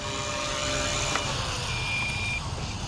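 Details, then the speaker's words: Blade Fusion 180 Smart helicopter with 6250MX flybarless system, battery depleted after flying: quick high evenly spaced beeps over a fading rotor whir, the low-battery alarm going off. "Okay, the battery's cooked now, guys. And my alarm's going"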